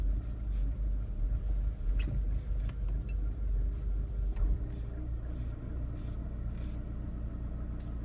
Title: R56 Mini Cooper rough idle problem